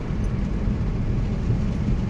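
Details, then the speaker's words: 2014 Subaru Forester XT FA20DIT turbo after spark plug replacement, fully warmed up (140°), driving in S mode: steady low engine drone under road rumble, no knocks, misses or hesitation; runs normally, maybe more responsive. "everything seems normal Everything feels fine actually maybe a little bit more responsive"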